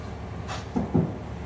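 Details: Two dull, low knocks in quick succession from a worn front ball joint loose in its taper. It was fixed by welding, after which the knocking stopped.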